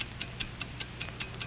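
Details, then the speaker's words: 1949 wind-up watch ticking crisply and evenly at a steady five ticks per second over soft background music; a healthy, normal running watch. "do you hear it's the ticking of a fine watch wherever you go whatever you do america's fine watch ticks steadily accurately on five ticks every second"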